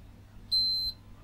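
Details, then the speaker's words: Retro MSI motherboard with AMD CPU, recapped by its owner, after a MOSFET was removed and broken: one sharp high continuity beep showing the short to ground remains, apparently inside the chip. "yes the short no the short hasn't gone so we're now in the worst situation than where we started it looks like the shorter's in the chip"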